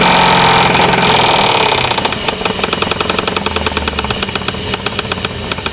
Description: This video is about 4.7 Engine knock